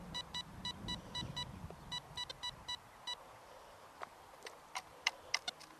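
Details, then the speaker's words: XP ORX metal detector with ground balance raised toward 88: chattering false beeps die away to a quiet threshold with only odd clicks, the shake gone completely at 88, balance now set right. "Right, let's go up to a higher ground balance. Can you hear the shake value's almost gone now?"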